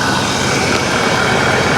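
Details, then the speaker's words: Copart auction vehicle on a hot day, a tiny exhaust leak noted. Engine-bay roar with the AC compressor clutch engaged and the compressor spinning, a smooth whir over it; the AC is working. "Yeah, it looks like it is. It is, yeah. The compressor's running, the clutch is going."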